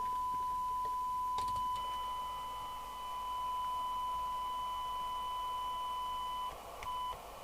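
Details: Uniden Uniace 100 CB27/81 UK FM CB radio, receive test at the extension speaker socket before repair, on frequency. A steady test tone over a hiss floor with brief dropouts; sensitivity is very poor (1.4uV for 12dB SINAD). Failed 470uF and 220uF filter capacitors are to blame.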